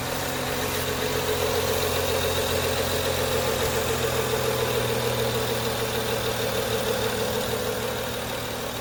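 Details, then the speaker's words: 2011 BMW 335i xDrive E90 with N55 six-cylinder, just after replacing engine belts and pulleys because of cold-weather squeak: even idle, smooth hum, no chatter or rattle from the front of the engine. Normal idle. "sounds good there's no rattle let's take a look oh good there's no rattling as you could hear"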